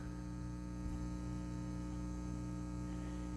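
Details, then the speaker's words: Self-amplified studio monitors: constant low buzzing hum with a fixed, unwavering pitch. The cause is a ground loop, fixed by fitting a ground eliminator plug, after which the monitors are silent. "If you're experiencing an annoying hum out of your self-amplified studio monitors like this, let me turn it on."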